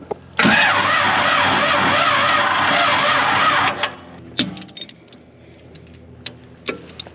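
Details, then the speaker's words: Fire-damaged 1955 Chevy Bel Air, original high-torque starter: about three seconds of slow, labored whirring against compression while the starter smokes, then it quits with no fire; the starter is failing and was later replaced. "smoking that starter is not happy this thing did not fire did it"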